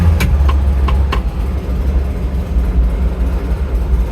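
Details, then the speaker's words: Classic Fiat 500: awful irregular clicking noise with clutch pedal in and in gear, in all gears and reverse, including at 10 mph; disappears when clutch released; caused by worn pilot bush letting the gearbox input shaft wiggle, engine out to fix. "so clutch in put it into gear awful noise clutches still in until you go then it disappears"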